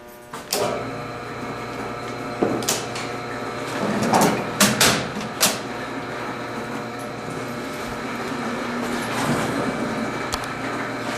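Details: Steam boiler: pumps started before firing up the burner. A few switch clunks, then motors settle into a steady, even hum: normal pump operation.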